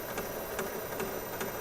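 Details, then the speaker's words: Steady thump about every 0.4 seconds, like a train over track joints, from a 1969 Nationwide Manufacturing turntable (Philco console); flat-spotted idler wheel with a divot, reconditioning failed, new wheel needed. "i'm pretty sure that's the idler wheel we hear it sounds like a train going over the uh brakes in the train track"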